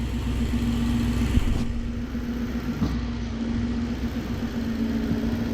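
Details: Nissan VK56 supercharged V8 in a Nissan Gloria on Link ECU, first fire-up with fuel pressure about 3 bar, warming up, good oil pressure: even idle with a constant low drone and faint steady supercharger whine, no stumbles; normal idle.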